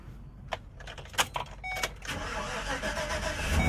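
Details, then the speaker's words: 2014 GMC Savana/Chevy Express with a crank-no-start and P0230 fuel pump relay control circuit code, on a new pump and relay, with the relay commanded by scan tool: clicks, starter, then it catches in about two seconds to a steady idle; an open remains between relay and fuse. "Look at that. Starts and runs. Shut it off."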